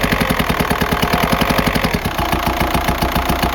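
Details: 2004 Jetta TDI PD diesel at idle: a fast, sharp metallic rapping about ten times a second from a failed camshaft, not an exhaust leak. It worsened over weeks until the car lost speed on highway grades.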